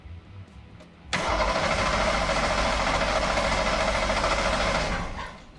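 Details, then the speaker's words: Ford SHO engine on its first start during the teardown: catches after short crank and runs lumpy and shaking at about three pulses per second with heavy vibration; cause unknown, motor mount suspected. "it sounds a little funky and it feels a little [Applause] weird that does not sound good I don't know why but it just doesn't it's got a real bad vibration to"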